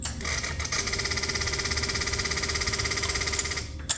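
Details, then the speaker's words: Kawasaki Ninja 300 (2013 to possibly 2017) at key-on, engine off: fast electric buzz and rapid ticking from the throttle bodies, as the attached actuator no longer works properly, leaving no power above roughly 5,000–6,000 rpm. "you can hear the noise that is coming from the throttle bodies. And that's because this actuator here that's connected to the throttle bodies is no longer working properly, which is causing the bike not to have any power pretty much above 5,000 to 6,000 RPMs."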